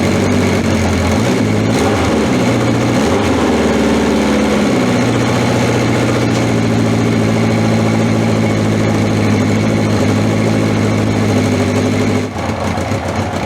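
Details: Honda CB750 K four-cylinder, cold start after battery reinstalled and fuel tap on: settles into a steady even idle with smooth consistent beat, no knocks or misses; sounds healthy, no oil leaks.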